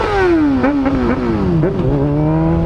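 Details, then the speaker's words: Honda Hornet motorcycle during wheelie practice: revving note stumbles and dips unevenly several times as it pulls, then recovers; misfire under load, rider suspects the fuel pump, cause unknown. "colocando ela tá né não sei porque que ela está só falhando mesmo"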